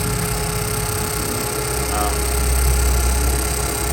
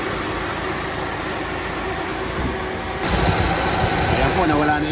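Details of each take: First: Suzuki Swift air conditioning compressor whine at idle: steady mid-pitched whine over the engine, gone when AC is switched off; pressures read 35 and 175, cooling still good; likely compressor short of oil. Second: Suzuki Swift idling during AC refrigerant/oil refill after vacuuming, auxiliary fan replaced: steady even drone with no high whine; compressor, noisy when low on oil, now quieter.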